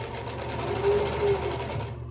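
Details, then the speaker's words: Singer 112W industrial sewing machine after bobbin tension tune-up, sewing through about 6–8 layers: fast, even stitching rhythm that holds steady without labouring, thumping or skipping, then stops cleanly; machine running right. "So, all right, so I went through, who knows, 6, 8 layers."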